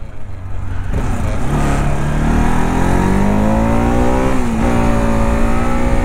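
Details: Modified Bajaj Pulsar RS200 single with dual disc brakes and a dead meter (suspected blown fuse), ridden on a test ride: the note climbs steadily through the gears with a clean, even pull and no rattles or misfires. Healthy engine.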